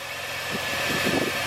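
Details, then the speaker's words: 2002 Chevy S-10 Xtreme running, heard under the hood after new belt, tensioner with pulley and idler pulley: smooth even hum, no squeal, chirp or rattle, a lot quieter. Normal belt drive. "let's see what it sounds like under the hood sounds a lot better A lot"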